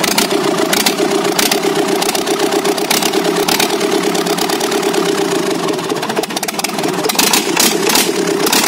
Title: JCB Kirloskar 4r1040 first start after rebuild.